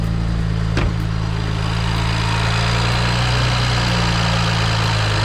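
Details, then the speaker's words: BMW E92 335i N54 after replacing a faulty injector with a second-hand one: steady, smooth idle with a low hum, no misses or stumbles; only faint wastegate rattle remains; engine not yet warmed up. "Holy mother of God. It's running smooth. That sounds like a different car."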